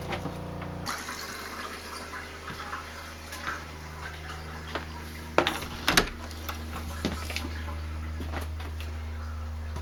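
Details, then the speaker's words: RV water pump after installing an accumulator tank and pump silencing kit: steady low hum with water rushing, even and fairly quiet with no rattle or surging; better than before the mod. "and that's what it sounds like I think that's better it's better than it was"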